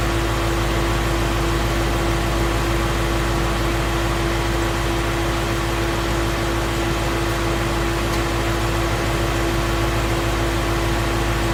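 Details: 2016 Mustang Coyote V8 at operating temperature, 1k miles after oil change: steady, even idle with constant low hum, no ticking or lifter tap; engine sounds normal and healthy.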